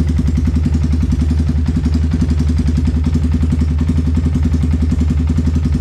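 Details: Yamaha Vixion single, after a repair for harsh engine noise: tank bracket bolts tightened and spark plug replaced with an NGK; even, quick thump at idle with a steady low beat and no rattle or miss; normal idle.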